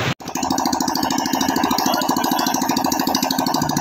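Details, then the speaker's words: Yamaha Soul GT scooter single-cylinder engine after major service with oil refilled and internals cleaned: steady, even, crisp idle putter with no knocking or rattles; normal. "suara mesin kemarin normal guys"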